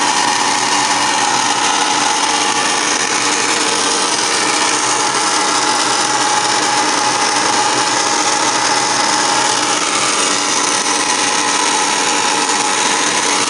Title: Furnace noise on start up, Mar22,2017